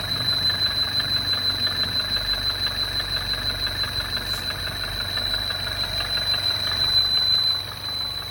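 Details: MINI Crossover R60 engine at idle: uneven tick roughly three times a second with a thin high whistle on top, source not identified; abnormal engine noise.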